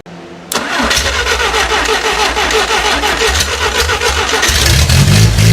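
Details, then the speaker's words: 1957 Willys FC-150 engine after the distributor was adjusted and the ignition coil was rewired to constant power, with fuel poured in: brief cranking, then it catches into a steady, slightly lumpy run with rising revs. "And there you have it. We have a running functioning motor."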